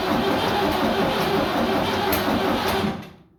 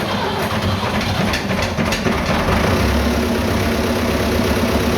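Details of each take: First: Vintage "77" diesel tractor after sitting two days: with a fully charged battery and jump pack, the starter cranks in slow, uneven beats near three a second but it never catches. The ~32-gallon tank is dry; owner suspects stolen fuel or a leak. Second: Vintage "77" diesel tractor that had no start from an empty tank. After refuelling it catches and settles into a loud, steady idle clatter with an even beat and no stumbling.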